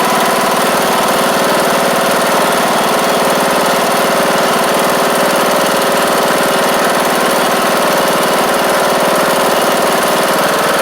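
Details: John Deere D110 riding mower, first start after the engine swap, with fuel pump reconnected and oil checked: a steady, even single-cylinder drone at constant speed with no knocks, surging or misses, running smoothly and healthy.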